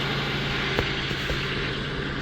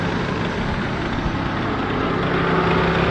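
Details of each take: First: LN3 3800 V6, on ramps, air-conditioning off: smooth steady idle hum with no knock or rattle; the clacking noise appears only at idle with AC on, later traced to a failing harmonic balancer (crank pulley). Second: LN3 3800 V6 (1988–91) on ramps, idling after the AC is switched on: light rapid clacking that seems to come from a pulley, with extra vibration under AC load. Worn harmonic balancer; the noise appeared overnight, only at idle with AC on.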